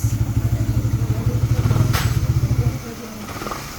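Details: Motorcycle after clutch-side noise that began after lining and spring replacement: steady, even low single-cylinder thumping at idle with no clatter or rattle, then dropping away; now quiet after a minor assembly error was corrected.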